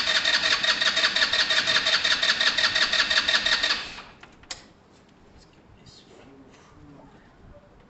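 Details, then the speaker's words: Tamoretti motorcycle with replacement carb, started with no fuel in the carb: catches quickly and runs with a brisk, even single-cylinder beat for about four seconds, then stops; a clean start. "it's going to take a little while to kick over guys because it has no fuel in it"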